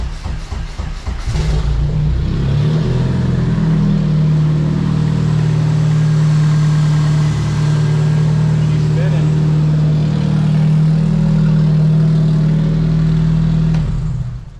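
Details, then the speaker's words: Nissan S13 KA24DE with newly installed Garrett GT2871R replacement turbo after previous turbo blew, first start checking for leaks and turbo noises: engine catches then holds steady revs, clean even drone, no hiss or rattle; normal turbocharged revving. "Fire it up, see if it makes some turbo noises. Make sure no leaks."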